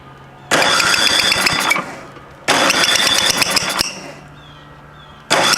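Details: Vintage snowblower engine, flywheel just refitted, auger unexpectedly engaged: bursts into a harsh, ragged run for about a second at a time then dies back; rough running, cause unclear.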